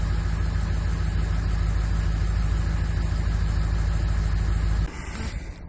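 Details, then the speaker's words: Ford F550 truck camper, diesel, after Viper 5706 alarm with remote start installed; smooth even low diesel rumble at steady idle, then clean shutdown, running beautifully. "And as you can hear, the truck is running beautifully."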